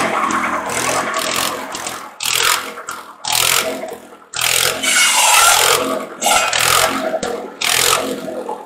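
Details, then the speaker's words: Antique buzz saw rig powered by a Wisconsin THD air-cooled engine, revived after sitting unused for years, mouse nest removed and cylinder airflow improved, cutting sawmill slab wood: steady engine drone with harsh rasping bursts as the blade bites, dipping between cuts; healthy under load. "so well i'd say that was a successful test run and uh of the thd wisconsin um wisconsins are great little motors very uneconomical they burn a lot of fuel but they're a great motor run run forever if you take care of them"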